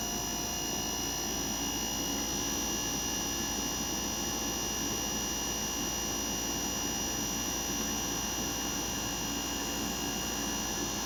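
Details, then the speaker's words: Inverter air conditioner compressor starting and ramping up, current rising gradually from 0.8 A to about 2 A as revolutions increase: smooth steady whir with clean high tone, no knocks or rattles; normal operation. "se escucha el ruido del compresor cómo va acelerando"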